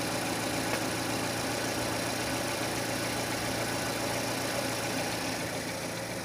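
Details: 2006 Renault Scenic 2, K4M 1.6 with automatic, 202,000 km, warm idle: faint fairly regular tapping about three or four per second from low in the engine, a knock appearing as it heats; cause unknown.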